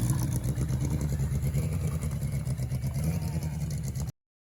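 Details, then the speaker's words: Revived 1981 Yamaha Maxim XJ650 four-cylinder, dead 20 years: steady, even exhaust rumble with no misses. Owner judges all cylinders firing with good exhaust pressure and carb flow; oil change still due, charging unchecked. "as far as I know I when I'm listening to it all cylinders are firing as we're getting good exhaust pressure we're getting good uh flow through the carburetors"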